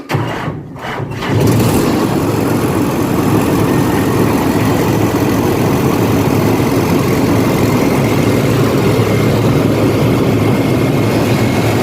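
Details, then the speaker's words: Diesel rice harvester started after the pump was installed and the exhaust gasket replaced: short crank, then it catches and settles into a steady, even run at constant speed, no clunks or misses. "ตอนนี้เดี๋ยวจะลองสตาร์ทดูนะครับเรียนประเก็นไอเสียเสร็จแล้วนะครับแล้วจะสตาร์ทดูนะครับ"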